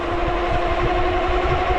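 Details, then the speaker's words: AKEZ Super 73-clone electric fat bike at about 43 miles, in rain: steady motor hum with uneven low pulsing "hopping" under full throttle, disappearing when throttle is released; owner suspects controller or hub motor. "but if I go and let off of it it goes away and it does that every single time pretty much"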